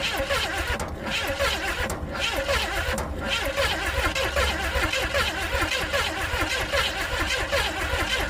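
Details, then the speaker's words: 400 small-block Chevy in a rat rod that sat outside 13 years: steady starter churning with no catch or firing. Spark present, but the pulled plugs were fouled and wet, so crank no start. "no she doesn't even seem to be trying let's check to make sure we still have spark all right well I I pulled the spark plug and checked to see if we'd spark and we did but when I pulled that plug out it was uh all fouled up um and wet"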